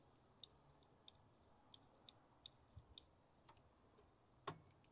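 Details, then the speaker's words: International Scout 80 (1963–65), sitting over 10 years, engine believed rebuilt in 1977; in neutral with key turned: sharp dry ticks about one or two a second with no cranking underneath; the starter just clicks. "I'm getting a clicking. I don't see any kind of push button."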